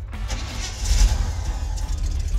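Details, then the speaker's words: Old Chevrolet Cameo pickup needing total restoration: engine cranks and catches, then runs rough and low with loose rattling; needs adjusting, cause not pinned down. "it rattles but it'll roll it'll Rattle and Roll need some adjusting"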